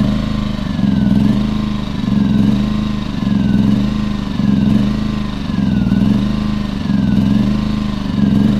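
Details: Champion 2000W 73536i generator with about 16–24 hours of use, surging at idle (also at higher rpm): engine speed swells and sags about every 1.25 s. Owner suspects a plugged idle/low-speed carburetor jet, unconfirmed; the carb was cleaned and a fuel filter added.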